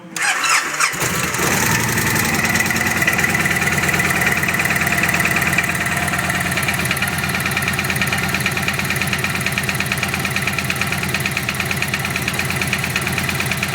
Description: Loud knock on vegas engine